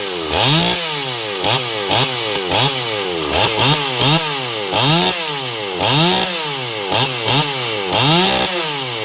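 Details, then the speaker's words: Ported Stihl 028 Wood Boss after a weird run condition was fixed; crisp blips up and down about once a second, clean revving with no bogging or stumble: normal running, running really well. "She's running really well right now."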